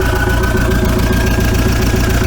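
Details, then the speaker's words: VW T3 TDI after a roadside cylinder head swap and JB Weld piston repair, following the bottom pulley coming off; coolant refilled and it started easily: steady, even idle with a regular low thrum and no knocking or misses; sounds much better now. "sounds a lot better now"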